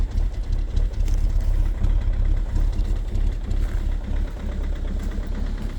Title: COLD START at -16°C with a very strong knocking sound 2.0 hdi #rybin